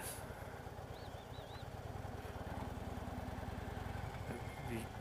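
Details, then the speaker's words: 2014 Harley-Davidson Electra Glide Ultra Limited V-twin on a test ride at road speed after reverse kit install: low, uneven rumble pulsing under the beat, which the rider attributes to the compensator. "guys hear that compensator? This makes this kind of a little rumble sound."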